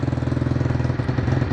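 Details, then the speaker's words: Chinese four-wheeler, single cylinder, just started on a booster pack with choke on after carburetor work: quick even putter at idle with a soft, slightly heavy note, smoking a little; running rich, float level needs lowering. "it smokes a little bit but that's because it's running a pretty-pretty and on the rich side I have to do a little tweaking Judy carburetor again"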